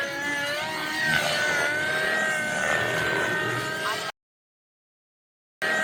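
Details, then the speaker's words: XLPower Nimbus Nitro RC helicopter with O.S. .55 HZ Hyper engine on its first flights: high, wavering rotor whine with an unsteady pitch wobble before cutting out; rotor blades thrown, seemingly after spindle screws backed out of an inadequately cleaned spindle. "Oh my God, dude. Blew the blades off of it."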